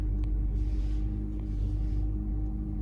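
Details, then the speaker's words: 2013 Honda Civic just started, check engine light, code P0301: deep, uneven idle rumble with a stumble and noticeable shaking from a cylinder 1 misfire; spark plug to be inspected. "just started the car, and I see that car's a little shaking, kind of vibrating, and I hooked up my code reader here. I have a cylinder 1 misfire"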